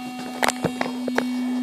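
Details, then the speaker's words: Midland 9001Z CB radio played through monitor speakers: constant raspy buzz at one fixed pitch with faint ticks under the audio, possibly one or two further digital-sounding buzzes; digital noise in the audio circuit, likely from the channel display driver. "now I know you can hear the noise that's very noticeable um but I can hear in the background even farther there's at least one if not possibly two other digit sounding buzzes that I can hear there"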